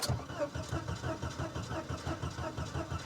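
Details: Volvo 240DL with gas in the tank, recently driven: starter spins the engine at an even three beats a second with no firing at all; cranks but won't start, cause not confirmed.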